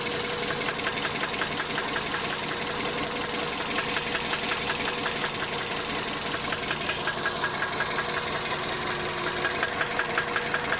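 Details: Engine at idle with steady sharp knocking about two beats a second, the deep rhythmic rap of a spun rod bearing (bearing shells rotated).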